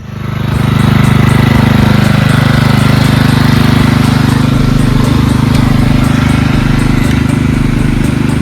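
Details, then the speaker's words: Marching band hauler single-cylinder engine after repair, before test drive; steady even beat about 3.5 pulses a second, no misses or surging, no fuel leaks, purring like a kitten; normal running. "so far so good everything seems to be good engine's purring like a kitten now no fuel leaks"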